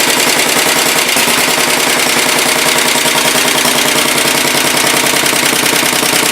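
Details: 1967 Sears Suburban 10 garden tractor, single-cylinder, first start after repairs: fast even popping settling into steady idle, no misses or knocks; normal idle, though running at low rpm leaves battery undercharged.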